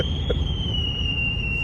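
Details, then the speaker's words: 1999 GMC Sierra pickup driving at about 40 mph: steady piercing kettle-like whistle over road rumble, wind leaking past a poorly sealed driver's window; tape planned. "Listen to that whistle. It's like a teapot."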